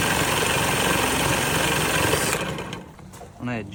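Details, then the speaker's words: 1969 Johnson Sea Horse 1.5 hp outboard running on choke: an uneven buzzing beat, then the revs sag and it nearly dies; it won't settle to idle, and the cause is unknown. "It doesn't want to idle. It like kind of sounds good, but I don't know why it's dying there."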